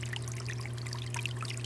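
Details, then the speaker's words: Running toilet: a steady trickle and low hum as water dribbles constantly into the bowl because the old flapper isn't sealing. The fix is replacing the flapper. "constantly throughout your house the sound of running water it is one of the worst sounds in the world for two reasons one I hate hearing the noise and two that's water that's going down your toilet and it's costing you money"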